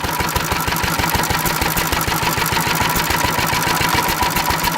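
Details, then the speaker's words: Antique stationary engine running on about 60% Sea Foam, 40% gasoline, fuel valve opened about twice the usual: steady, even firing at about three beats a second with no misses; runs smooth and happy. "so it's actually just hopping again because it's lien is actually running decent when I open it up and I give it a whole bunch of seafoam"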